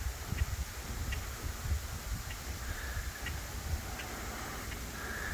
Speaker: it sounds like rain but it's actually just the power coming off the wires while not coming off but the audibilitiness definitely goes up